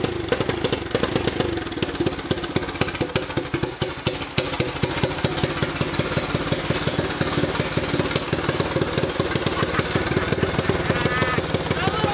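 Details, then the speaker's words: Turbocharged EFI 660 lawnmower engine on its first start, fast, rough, choppy popping that never settles to an even beat; running rich from too much fuel, improving significantly as fuel pressure dropped. "it's definitely too much fuel because as fuel pressure dropped there it got significantly better"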